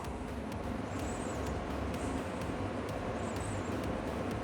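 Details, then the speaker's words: Diesel heater after clearing bugs from burner with compressed air, startup: steady even burner roar with fuel pump ticking about twice a second, fan spinning, little smoke; normal combustion. "I was expecting a little bit of smoke but it seems like it's already burning as it should yeah hopefully you can hear it"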